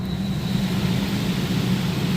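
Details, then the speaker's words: Rheem gas pack rooftop unit, blower fan test-run by jumping R to the fan with a B55 belt. Steady low fan hum with no belt noise, and a faint whistle from air passing a tight spot through the filter bank. Normal blower operation. "And so that's not making any sound. Sounds good. The whistling sound you hear is the air coming through here, through the tight spot, through the filter bank."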